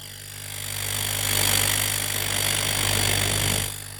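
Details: Homemade air compressor after reconnecting a loose wire that stopped it: steady low motor hum with rushing intake swell building and easing; runs smoothly and draws air normally.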